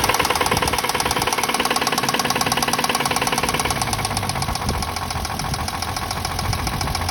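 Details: Toyota Mark II engine at idle with a steady, hard metallic knock at about four per second over the engine drone; cause unknown.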